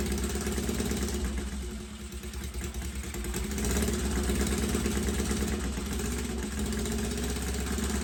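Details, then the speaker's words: 1963 Honda CL72 Scrambler twin after a top-end rebuild and carburetor swap idles unevenly with lumpy exhaust beats; one exhaust pipe stays cold, so one cylinder seems not to fire well; owner suspects a carb issue; rough running. "I don't really think this one was running as well as the uh left cylinder here. So, I don't know what to do other than uh mess with the carb"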